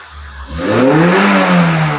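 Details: Kembara VVT with a K3 engine, with black smoke and hesitation but no check-engine light, after a coil replacement and exhaust cleaning. The rpm surges up then sags back without throttle, an uneven hunting idle, and the engine sometimes stalls. The idle is unstable.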